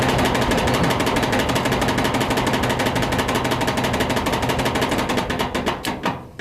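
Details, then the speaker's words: Duet dryer running with a loud, fast rhythmic thumping rumble; the rear drum roller bearings are worn out, so the roller bounces around on its bearing post. "They're totally worn out. The bearings are worn out, and it's just bouncing and riding around on its bearing post. Totally worn out."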